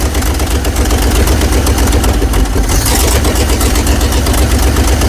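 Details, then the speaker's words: 1970 GMC 2500 3/4-ton truck with V8, first start after revival, cold with choke on, oil put in a cylinder: deep rumble with a lumpy idle that never settles. Rough idle of unknown cause, though it runs with good oil pressure. "She doesn't sound like she wants to stay running now. >> No. Wow. You don't sound happy. Not at all. Not at all. But it runs."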